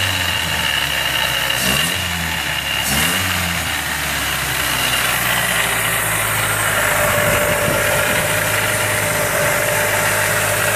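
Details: Miata with an M45 Jackson Racing supercharger at idle: a steady high whine with a rough hum over it, suspected to be bad supercharger bearings, not confirmed.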